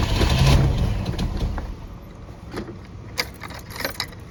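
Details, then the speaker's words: 1986 Pontiac Fiero, ignition tune-up, restarted after reassembly; the owner questions whether a distributor rotor that was tight in place was wrong or badly made. It cranks and catches unevenly, sputtering and fading within seconds, with keys jangling. Rough running on cranking, cause unconfirmed. "Let's see if that does anything. Yeah, I don't want it to sound like that."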